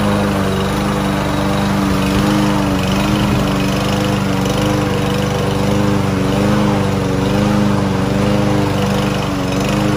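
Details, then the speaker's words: Land boy lawn mower, sat unused almost a year and wouldn't start, after cheap bottled-additive fix: steady even single-cylinder drone while cutting grass, no misses or surging; running healthy under load. "y esta mire ya está jalando la máquina muy bien y está cortando el zacate"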